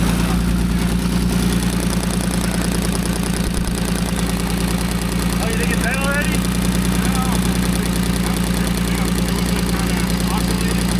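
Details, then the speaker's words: Old Allis Chalmers forklift six-cylinder engine after tapping down a stuck lifter and running on all six: much quieter steady idle with deep hum and faint repeating knock about two per second, likely from a worn rubber hydraulic pump coupler. "Feels like there's still a lifter. Tap it down there. That's a win, baby."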